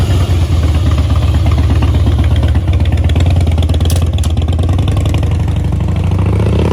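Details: 2011 Harley-Davidson Heritage Softail after a no-start fix with a new fuel pump (old one gave a short prime): deep loping V-twin idle, steady with a light throttle blip, no misses or clatter; runs properly.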